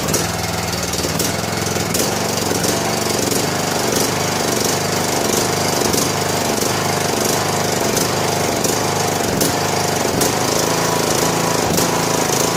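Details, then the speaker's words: John Deere LA105 riding mower after an oil, air filter and spark plug service, cold start on choke: engine speed rises and falls every half second to second; surging goes away when warm. "Surging goes away when it warms up."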